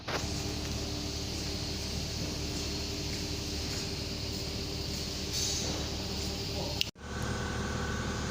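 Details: Mercedes S500 (2000–2006), a crank-but-no-start car worked on for fuel pump problems: runs at a smooth, steady idle with no misfire or surging, then a sharp cut near the end; normal running.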